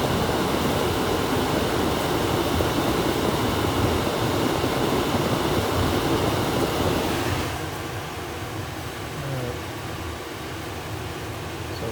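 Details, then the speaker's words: Rheem gas furnace in a wet, humid install with a suspected failing board. With red and green jumpered in cool mode, the condenser starts and the blower gives a strong steady rush of air on high speed, then drops; normal cooling operation. "so the thermostat being uh in the cool mode in the house means all i have to do is jump red and green and you hear the condenser come on immediately and then there's high speed"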